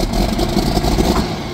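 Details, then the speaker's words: John Deere 4440 barn-find diesel tractor, sitting about 12 years, fires right up and settles into a steady, even clatter with no misses or knocks; a healthy start after long storage. "fires right up ridiculous setting 12 years whoa that was that was wild"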